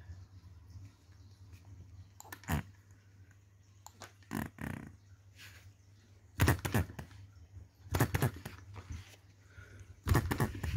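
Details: 2022 Enjomor Chinese hit-and-miss model engine after piston ring replacement, valve timing correction and governor latch spring mod: quiet coasting hum broken by a sharp firing burst every two seconds or so; normal, healthy hit-and-miss running.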